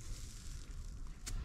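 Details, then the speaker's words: SIPMA grain roller crusher repaired, previously not drawing in corn, now with rollers tightened: deep, steady rumble as the rollers rub and grind evenly, no knocks or rattles; running normally. "Zresztą słyszycie, jak huczy, że trą o siebie. I patrzcie, jak mieli. Jak gniecie."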